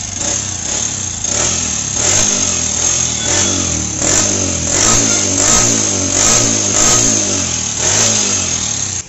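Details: Kawasaki 4S Champion motorcycle: repeated rev bursts about once a second with a thin high whine over the exhaust; abnormal engine noise, cause unclear.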